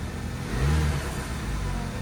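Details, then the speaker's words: 2012 Audi Q5 2.0T B8, 103,000 miles, severe oil consumption, just restarted after B-12 Chemtool carbon-cleaning treatment with old plugs refitted: low, lumpy, really rough idle stumbling irregularly, white smoke, flashing check engine light; misfire suspected from stuck oil rings. "We got it started. It's idling. It's really rough. A lot of white smoke."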